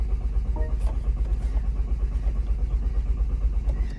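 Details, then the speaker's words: Salvage car at 14,331 miles in crash safety shut-off mode: steady starter cranking about two turns a second that never catches; crash mode has disabled the fuel pump, so no start. "but it's not going to start is it because it's got no fuel pump"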